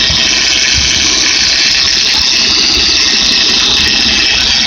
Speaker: Hey YouTube, this is what a bad power steering pump sounds like. A bad bearing inside the power steering pump. It's very noisy.